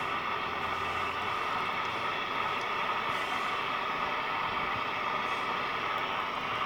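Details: National Panasonic RQ-434DS 1970s boombox radio: only a steady, even hiss, no station at any dial position; oscilloscope shows poor oscillator/mixer signal, a faulty mixer transistor suspected, not confirmed.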